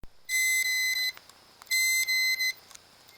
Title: Inside View - A Bad Hard Drive Making Buzzing Noise While Spinning